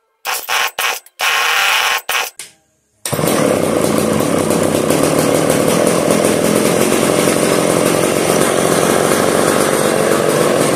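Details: 1990s McCulloch Pro Mac 700 chainsaw, sat unused for 7 years: a few sharp cord pulls, then it catches and holds a steady high two-stroke buzz without stumbling; running fine.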